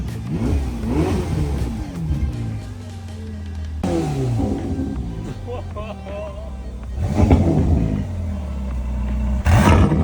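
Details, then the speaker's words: Crash-damaged Ferrari California T V8 running after two months of repairs and rewiring: catches and blips through several quick clean rev rises and drops over music; runs and revs normally. "finally the car gave us some hope and finally turned on."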